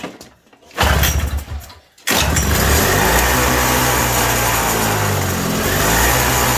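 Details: 1987 Toro CCR 2000 snowblower two-stroke in a cold shop, with a newly fitted replacement carb; pull-start, then a raspy, unsteady hunting note that only runs on choke. Running lean, and turning the jet in or out changes nothing.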